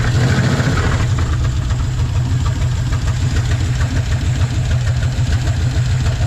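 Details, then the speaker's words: 1956 Chevy 150, about 35 years dormant, just revived, idle; light irregular ticking over a deep steady idle, valves need a little adjusting: valve tick. "We're going to have to adjust the valves a little bit. You can kind of hear that."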